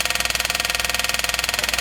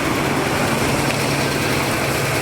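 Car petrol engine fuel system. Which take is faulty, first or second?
first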